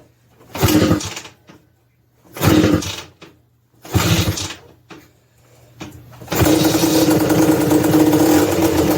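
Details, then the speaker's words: 1986 Honda TRX250R quad, ice cold, choked start: three kicks with brief sputters, then it catches and runs with a rough, flat, doggy bog. "guys can hear how it's like real doggy so yeah that's uh that's what it does guys"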